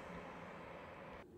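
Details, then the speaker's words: Newly built PC while loading drivers; CPU cooler fan is loud, a steady airy rush with no tone or rattle until it cuts off; owner plans to slow the fan and processor slightly in BIOS. "as you can tell when i get back into the bias i'm going to sort this fan out and probably slow it down a fraction and probably slow the processor down a fraction because yeah i can't live with that noise"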